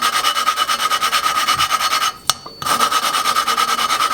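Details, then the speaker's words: Honda GC series small engine valve lapping by hand: gritty back-and-forth rasping about three strokes a second, a tap, then rasping resumes as fresh compound cuts; the grinding fades as the compound wears, so valve is tapped and turned 90 degrees. "if I just sit here and spin it you can listen to the difference in the grinding compound it just kind of goes away"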